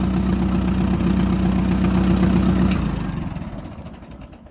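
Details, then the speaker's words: 1949 Minneapolis-Moline ZAU tractor before head gasket rebuild, leaking oil and coolant: low, even chugging at steady idle, about four beats per second, no knocks or misses, fires right up; healthy running. "Okay, and this is what the Moline sounds like before the rebuild. I added a switch here for the alternator. Fires right up, runs good."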